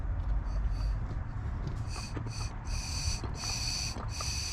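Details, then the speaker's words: 2009 Hyundai Santa Fe 3.3 automatic, code P0441, hard start after refueling: the EVAP purge solenoid, removed and tested, lets short hissy puffs of air straight through when it should be fully closed, so it is leaking. "right there it should be totally closed nothing you probably can hear on the video so that's not good"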